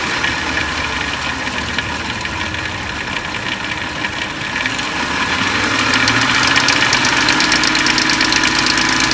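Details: 2004 Lincoln Navigator V8 at idle: busy metallic clatter up top, about three pulses a second, from a slack timing chain.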